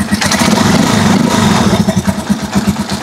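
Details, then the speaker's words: Rusi Chariot 175 trike single-cylinder engine after temporarily refitting a brittle, leaking rubber hose that caused hissing and overheating: steady thumping idle, no hiss; normal idle after fix. "matining na yung under niya, wala nang ingay. Walang nang ingay na naririnig tayo kay Chariot."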